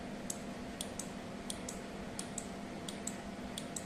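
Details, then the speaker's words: Sharp, light relay ticks repeat unevenly at about 87 a minute over a faint hum as a 12V relay LED flip-flop using only a relay, capacitor and LEDs switches normally. "You can hear the tick tick sound. Please listen carefully."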